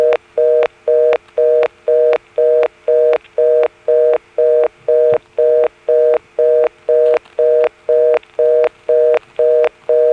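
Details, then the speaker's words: March 1977 Carolina Telephone step-by-step exchange with modern ESS-style tones, Washington NC: dialing a blocked level steps to the 11th terminal, giving a fast, even on-off reorder tone about two bursts per second. "so now let's call a blocked level every step has one you know you dial the digit and you hear the steps which go over to the 11th terminal reorder"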